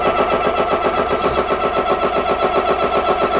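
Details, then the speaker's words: ReadyAir personal airgun compressor starting to fill with the bleeder open: steady rhythmic pumping about four strokes a second with an even hum and no knocks or squeals; running normally. "So I've got the bleeder open. I'm going to hit the on button, and it's going to start to fill."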